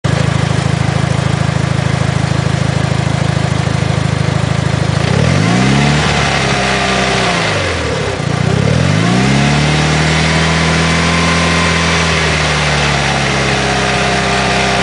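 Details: 2006 Mitsubishi Evo IX petrol at idle: dense gritty rattle only with clutch engaged, gone with clutch pedal pressed, quieter when engine cold; throwout bearing suspected, not confirmed.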